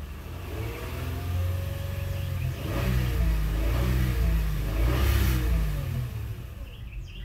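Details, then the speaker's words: 2006 Honda Odyssey, in drive with foot off brake: engine revs rise and fall freely under throttle as if in neutral, van not moving; scan tool shows A, B and C solenoids on, CC solenoid off; transmission not engaging. "now take my foot off the brake and i give it gas not moving at all"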